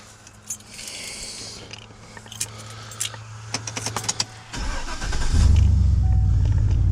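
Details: 2004 Chevrolet 2500HD with the 6.0 gas V8 at 195,000 miles: keys rattle and a chime sounds, then it cranks briefly, catches at once and settles into a strong, even idle. A normal start.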